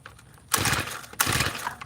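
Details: Tiller small engine, choke off, carburetor screw backed out another half turn: two quick pull-cord cranks, each a short rasping burst dying without catching; no start.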